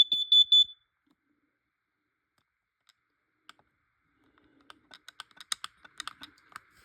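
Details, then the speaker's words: Carbon monoxide/gas detector alarming on smoke test spray: a shrill, fast-pulsed high beep for under a second, then only clicks and handling. It shows no ppm reading. "That's pretty weird actually. You test it with smoke spray, it actually goes off. I'm actually not joking or kidding, it actually does."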